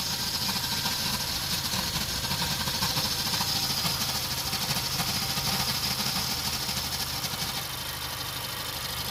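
Engine running steadily with a harsh, gritty hiss over the idle and no clear rhythm: an abnormal grinding noise of unknown origin.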